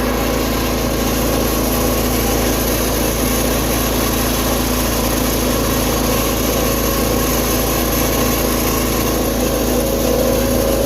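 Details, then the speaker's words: Tractor (210) with carburetor just refitted and fuel line, choke and throttle reconnected, started outdoors; steady, even engine drone with no knocks or misses, revving nicely and running great, though the owner hears something possibly rubbing; normal running. "Dude, this thing's revving pretty nicely."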